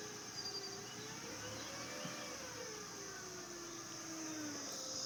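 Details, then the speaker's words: 2005 Acura RL with 166K miles (timing belt and water pump replaced at 101K): a thin, steady high-pitched whine at idle that rises with rpm up to 2500, with or without AC and unchanged by steering; owner suspects the alternator, water pump or a drive-belt pulley. "a couple of days ago this whining noise started happening at idle speed and a little above idle speed"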